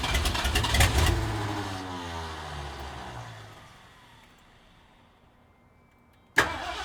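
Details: 1973 Mercury Cougar, 351 Cleveland V8, first start after timing and plug wire work, unrebuilt carburetor, fuel poured down line: catches, runs rough briefly, then sags and dies; owner suspects bad cheap clicking fuel pump.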